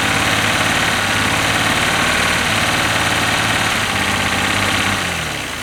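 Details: 1967 GMC C20 with 305 big block V6, stuck and sitting at least 7 years, first run on brake-clean starting fluid with a poor carburetor: loud, busy idle with an uneven beat of about three to four pulses a second, running rough, no smoke.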